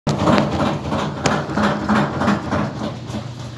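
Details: Samsung washing machine during spin: heavy uneven thumps about three a second as the drum bangs around, then it stops; worn suspension kit, damaged by running unlevelled and tilted to one side.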